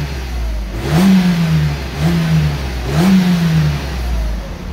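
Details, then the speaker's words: Mercedes-Benz with 203,000 km, rev test inside a car wash: three quick blips about a second apart, each rising cleanly and dropping back without misfire or clatter, exhaust echoing; plenty of power, sounds healthy. "there you go that's a sound test for you it's uh it's got plenty of power 203 000 kilometers and it still sounds good"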